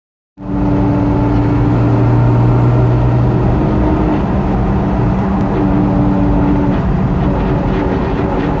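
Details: Jeep TJ while driving: steady low whine/grinding under road and engine noise from rear differential; pinion yoke had significant play and was the cause, fixed by swapping in a used Dana 44 axle.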